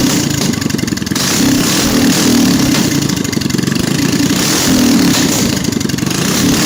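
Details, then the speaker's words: CDI kit on a GX200 / Predator 212 clone engine: crisp single-cylinder revs, then sharp on-time pops on deceleration as the idle jet keeps feeding fuel after the main jet cuts. No sputter, consistent with a well-tuned engine. "As the fuel flow is cut from the main jet, the idle jet continues pumping gas. An off-time engine will sound like it's sputtering through initial decel, but this sounds more like a well-tuned engine popping and firing right on time."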